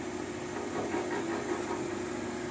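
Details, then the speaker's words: Old Sears Craftsman 12-inch band saw, probably long untouched and untuned, switched on and running with no load: soft, steady hum with a light airy hiss. Normal running. "I have no idea how old this Sears craftsman one is but I'm thinking it's quite old anyway here it is what it sounds like when you turn it on"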